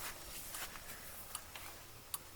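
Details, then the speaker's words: 1966 Ford F-100 pickup after fitting a new flasher taken from a Corvette, replacing one that blinked very slowly: a few crisp, quick clicks in a quiet cab; the turn signal flasher now clicks at a normal, faster rate. "see how much nicer those blink now with a new flasher in it you can hear it clicking a lot faster"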